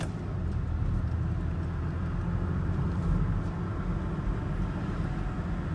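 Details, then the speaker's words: 2008 Volvo XC90 with Haldex AWD, driving after CV joint replacement, with a cracked boot sealed with polyurethane. A steady low road rumble and smooth drivetrain hum with no clicking, clunking or grinding; the driveline sounds healthy. "So my all-wheel drive is back. No more click sound. The suspension noise is gone too."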